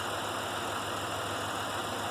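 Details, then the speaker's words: Pontiac Grand Prix V6 at idle with a used coil swapped in: rough, uneven stumbling beat, still missing and shaking; a second coil is tried next; concluded the ignition module is out, not the coil; dead misfire at idle. "now we're gonna see if it runs like it should so feels like it's still missing"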